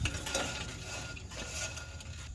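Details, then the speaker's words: Classic car daily driver, drum brake turned by hand: gritty ratchety scrape with uneven catches from a crunchy rusty drum, seized adjuster and leaking wheel cylinder with brake fluid inside. "there's stuff in there going on this adjuster was seized this wheel cylinder was leaking it's pretty crunchy and Rusty"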